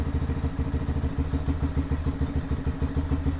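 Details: Lifan KPM 200 motorcycle after a dead battery was replaced (12.8 V, charging expected 13.5–14 V): steady, even single-cylinder putter at about three pulses a second with no misses or knocks, idling normally.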